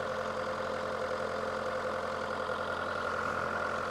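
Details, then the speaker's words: VW Polo petrol, part-exchange car with low coolant, no oil leaks: steady idle with even low drone and faint light ticking, no knocks or hunting; sounds okay for its age, normal idle. "Let's fire it up. Sounds okay for what it is."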